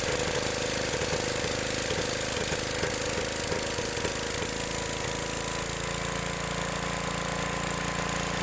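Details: Old Gravely tractor with a new condenser just installed: loud single-cylinder chugging with some uneven knocking early, then settling into a steadier beat. Points arc much less than before and it now runs properly.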